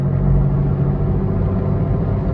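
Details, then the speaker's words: Loud, steady low droning rumble from a bad wheel bearing, heard while driving at 45 mph and louder toward 60 mph; changes when swerving side to side, usually one side only. "All right, guys, so this is the sound of a bad wheel bearing. Can you hear it? It sounds like that. We're going 45 miles an hour."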